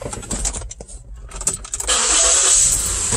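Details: 2014 Ford Flex with no-start after fuel pump relay replacement: key and handling rattle, then engine catches at once and holds a steady run; clean, healthy start.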